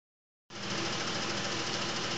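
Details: 2000 Isuzu Trooper at idle, louder ticking after switching from Rotella T6 5W-40 to Mobil 1 15W-30, owner suspects crankshaft bearings, seems louder from underneath than on top: fast light ticking over a smooth idle, cause unconfirmed.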